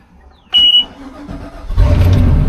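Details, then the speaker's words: Volvo Penta 5.0GXI boat engine the day after fuel pump replacement: short crank with a brief chirp, catches first try and runs steady and even; successful install, earlier hard start blamed on unprimed system after draining fuel. "All right, she starts, boys and girls. So, I am going to consider that a successful fuel pump install."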